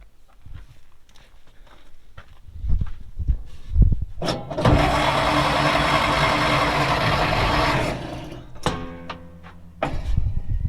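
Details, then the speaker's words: 1940s Dodge army truck sitting 30+ years, with used-but-good wires fitted, spark confirmed at the points and the accelerator pump squirting fuel: steady cranking with no catch, only a sputter at most; cranks but won't start. "Ooh, it sputtered. So the most I've been able to get is sputter."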